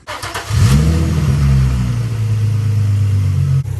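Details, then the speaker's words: Nissan 350Z/G35 V6 after tightening the serpentine belt tensioner, which used to squeal on cold morning starts; it cranks, catches and settles into a smooth, quiet idle with no belt squeal. "as you can tell it's running nice and quiet and it's not squeaking at all"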